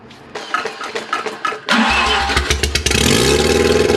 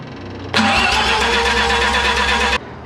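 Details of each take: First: Mazda 12a rotary engine, pulled and run on an engine stand: after spark was switched on and timing advanced, it cranks, catches and settles into a buzzy, fairly steady idle with throttle blips, running well enough. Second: Mazda 12A rotary on engine stand, cold, no choke: steady cranking whir for two seconds, never catches; cause found as unblocked intake flap making a huge vacuum leak.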